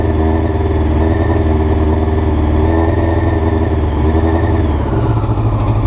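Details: Honda CBR motorcycle before the float needles were changed: uneven, lumpy rough idle with the beat wavering and revs sagging near the end; cause not confirmed.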